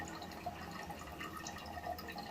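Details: Toilet with worn internals, tank full and not flushed for a while: steady soft trickle with scattered drips, no fill-valve hiss; water keeps running into the bowl, suspected leaking bad flapper, to be replaced.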